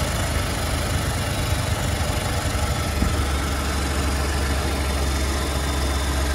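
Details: Cold start at 71°F on a 2020 Ford F150 3.5L EcoBoost with 33k miles, PCM reprogram done and left turbo replaced for wastegate rattle. A busy mechanical rattle settles into a smoother hum after a few seconds. The owner suspects cam phaser rattle; no startup crunch.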